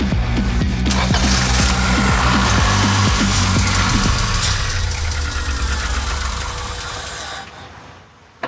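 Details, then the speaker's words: Acura Integra cranks with an even, regular rhythm that never picks up into a run, then winds down; crank no start, tank was empty and never checked for fuel. "So what we've done is filed down the metal portion of this rotor so that it won't make contact with the probes inside the cap. So the car won't get any spark."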